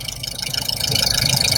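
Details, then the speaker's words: 2018 Skoda Superb 2.0 TSI just after spark plug replacement, settled down from cold-start fast idle: even, steady idle with a fine regular injector tick on top, no misses or stumbles; normal healthy idle. "Ładnie, pięknie, z tak zwanego ssania zszedł."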